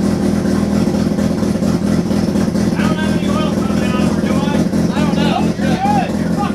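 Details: Turbo II FB RX7 rotary engine on its first real run, after leading/trailing coil checks; loud, uneven drone that surges and stumbles with no steady idle, smoking out the garage. Rough running with kinks still to work out.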